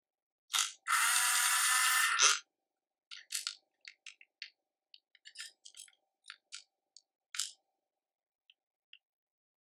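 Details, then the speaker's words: Nuki smart lock (first version) after motor replacement: one long high whir, then scattered buzzes and clicks as the motor stalls and retries, with the drive gear pushed the wrong way. The cause was found to be the motor's cables swapped. "I was false finding the issue with the trial and error approach where the gear get pushed in the wrong direction"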